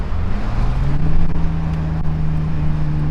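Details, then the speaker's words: BMW E46 M3 driving after an alternator replacement that cleared the red battery light: a smooth, steady engine drone rising evenly with no whine or squeal. The high-rpm whine is gone and is attributed to the old alternator. "Yeah, it's a lot better. You don't hear that like squealing, whiny sound. So I'm pretty sure it was from the old alternator, for sure."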